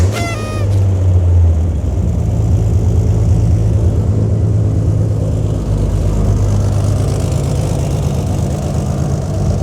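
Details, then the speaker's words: Turbo Barra-swapped R33 Skyline, first start on a jump pack with no radiator or alternator: starter whir, then a loud, deep, even rumble through a straight-through unmuffled exhaust with no misses. It idles healthy but louder than expected, and a muffler may be added. "it's louder than I thought it was going to be which uh take it as you will I don't think that's necessarily the best thing because it is a straight car so I might have to add a muffler in again"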